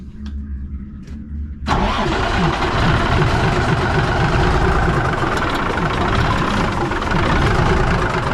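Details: 1965 Kenworth, non-starter for 3–4 years, after new 12V starter and overhead adjustment, jake brakes removed: quiet cranking, fires in under two seconds into strong, even idle, no white smoke.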